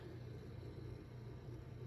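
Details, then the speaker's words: HP Omen desktop PC with a mechanical hard drive, booting: faint steady low hum, fans spinning, with no grinding, clicking or whine. The hard drive sounds healthy and the PC is very quiet. "obviously power's on hard drive sounds healthy nothing seems to be like grinding or making anything unusual"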